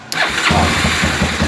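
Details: Motorcycle that only made a tick-tick on the starter, fault traced to the starter relay: starter spins briefly, engine catches right away and settles into a steady idle; normal start.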